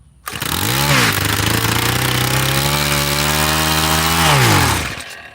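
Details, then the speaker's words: Tiller small engine after carburetor screw backed out a half turn, choke then off with some throttle: fires straight away, revs up, holds a steady drone, revs back down cleanly; normal running with throttle. "Cool. Gave it some gas and it started, which I'm not gonna act like I know what that means."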